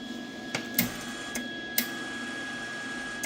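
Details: Lincoln Weld-Pak 140HD MIG welder after fixing feed failure from a misaligned spool-mode switch: faint steady motor whine with occasional light clicks; wire feed smooth and even, nothing dragging or slipping.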